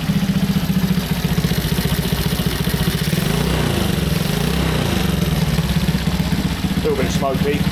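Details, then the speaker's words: Honda C200 motorcycle after 12V conversion, first start-up: small single idles at a quick, steady thump, no misses, knocks or rattles; settled, healthy idle. "So I suppose we better start it up and see what it sounds like. Well, she's running. She sounds pretty well."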